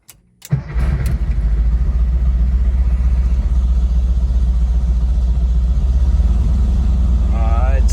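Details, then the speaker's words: VW engine with dual 34 carbs after sync and tune, road test start: brief crank, then catches and settles straight into a steady, even idle without hanging high; normal start and idle. "yeah what i want is for it to start up like that not at a high idle"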